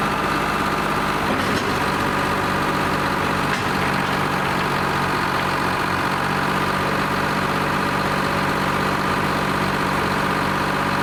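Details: Lima 34 shovel, just fired up after a round of repairs, before greasing and digging: deep, steady two-stroke diesel drone at idle, even beat with no knocking or stumbling; normal, healthy and settled idle.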